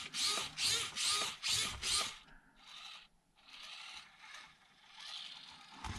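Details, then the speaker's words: Klemm Floh brushed ESC in a micro-truck with a geared motor, throttle feathered at low speed: short, smooth gear whirrs about twice a second with no harsh whine, showing clean low-speed modulation. "Check this modulation. Wow, it's so cool."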